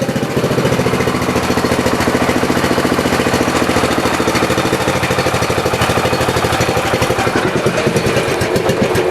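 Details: Modified Troy 30-inch riding lawn mower engine, throttled down toward stall before shutoff: even, rapid chugging at steady speed with no misfires, knocks or hunting; runs normally.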